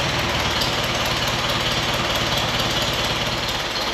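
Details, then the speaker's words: 1959 Allis-Chalmers D-17 tractor after restoration, tune-up and new exhaust: even, steady idle chug with no misses or knocks and a smooth, regular exhaust beat; runs healthy. "course. It sounds good. Nice and smooth."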